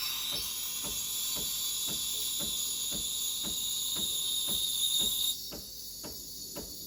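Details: Breville Barista Express BES870 steam wand stretching about 200–250 ml of milk in a metal jug. A steady, high, airy hiss with light ticking chirps that quietens as the tip sinks deeper; normal steaming.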